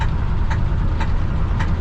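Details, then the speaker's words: 1968 Ford F100 truck on a test drive just after a water pump replacement: a sharp knock repeating about every half second over a low rough rumble, with clanking earlier. Bottom-end knock, not the water pump; owner suspects torque converter or a rod, and oil pressure light stays off. "she was clanking and then she's knocking i believe i can say it was not the water point"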